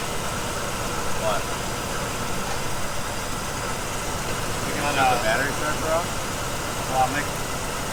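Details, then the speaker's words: 1962 Chevrolet Impala, 327 V8, 4-speed manual, aftermarket carb, first run in 15+ years after adding a throttle return spring; settles into a steady, even idle with no knocks or misses; runs good. "crank it damn this thing runs good she is mint"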